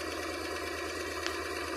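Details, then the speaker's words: Honda Transalp carbureted engine after loosening both mixture screws one turn to fix rough unstable idle: smooth, even idle set around 1100 to 1200 rpm, steady pulses, no stumbles or misses; engine idling cleanly. "Now the engine working very good."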